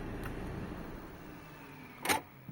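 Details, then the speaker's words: Peugeot 508 SW electric parking brake, after enabling automatic parking brake setting via diagnostic tool: engine switched off, quiet cabin, short motor whirr and firm clunk as brake pulls on; normal electric parking brake application after repair. "почув Я якраз про те що прожужав відпрацював ручник в принципі все у нас встановилося"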